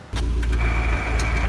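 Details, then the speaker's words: Kyle's car, manual clutch, just repaired (everything replaced), restarted 30 minutes later: with clutch pedal in, selecting gear gives the same high grinding whine over the engine drone, stopping when the clutch is released; air in the clutch system suspected, not confirmed. "I start my car I put it I press put the clutch in put in the gear and just makes the same exact grinding sound"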